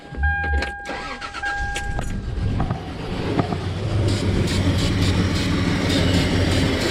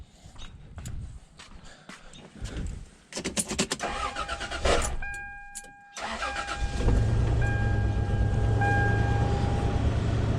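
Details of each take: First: Toyota 4Runner after owner's DIY head replacement: cranks and catches, then uneven loping stumbling idle; misfire on one bank, maybe cylinders 4-6, from vacuum leak, suspected upside-down throttle body gasket, checked with brake cleaner. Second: Toyota 4Runner after a gasket fix: clatter and cranking, then catches and holds steady even idle with no stumble; repaired.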